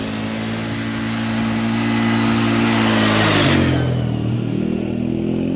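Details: 2003 Polaris Sportsman 400 ATV on a test ride after valve adjustment, timing and final assembly; the single-cylinder thumps steadily, pitch climbing and easing with throttle, with no knocks or rattles; starts and runs great, normal running.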